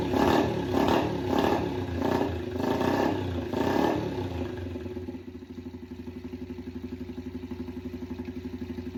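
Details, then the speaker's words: Yamaha TT-R90 after a top-end rebuild, airbox off, choke on then off: revs surge unevenly, then a lumpy idle. It won't idle well and wanted more fuel via the air-fuel screw, and it smokes, suggesting oil burning. "Choke on. Doesn't want to idle. Doesn't want to. Let's try to choke off. It doesn't like the gas."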